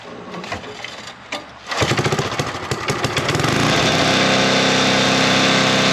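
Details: Sweepster TR-48 sweeper's small gear-reduction engine started to test belt-driven pulley after repairs: a few handling knocks, then it catches and settles into a fast, steady, even beat with no misses; running fine.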